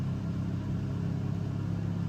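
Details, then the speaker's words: Honda 2200 W generator, eco off, running Furrion AC on 265BH trailer, low fan with compressor on drawing about 1772–1775 W: deep, steady drone holding higher revs, carrying the load evenly. Running under compressor load. "Let me see if this is cooling down. Oh, I think it is. Yeah, it's cooling down. Let's go see what our wattage is being drawn. So we're on low fan, compressor on, and we are drawing 1772, 1775 watts."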